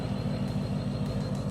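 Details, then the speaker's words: Range Rover L322 3.6 TDV8 diesel with rear silencer (back box) deleted and EGR valves blanked: deep throbbing low rumble with uneven pulse and little hiss on top; louder sportier exhaust, otherwise running normally. "You can hear that. Sportier sound with the removed back box."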